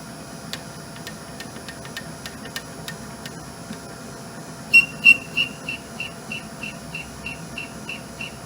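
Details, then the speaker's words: Clausing/Harrison M250 lathe parting with a reverse parting tool holder in a Honda 500 kickstarter shaft: sharp ticks, then a regular high chirp about three times a second; a chattering, possibly bent, parting tool is suspected. "Probably bent it too, if you can hear the chirping."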